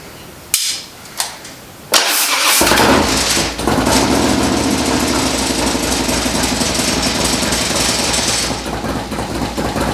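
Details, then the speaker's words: First start-up of a freshly built V-twin with a re-jetted CV carburetor and new exhaust. A few metallic clangs, then it fires into an even, lumpy cam lope with strong exhaust; no leaks found. Normal start and idle. "As you can hear, it sounds great. It's got that good cam lope."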